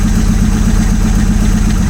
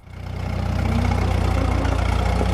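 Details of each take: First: 1947 Chrysler first started after decades of sitting, at idle. Low lumpy idle with an uneven pulse that smooths out with revs; one cylinder suspected of very low compression. Misfire at idle. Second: 1947 Chrysler being revived after sitting: old engine settles into a steady, even low idle with a soft regular beat, no knocks or misses; good runner, though clutch may be seized.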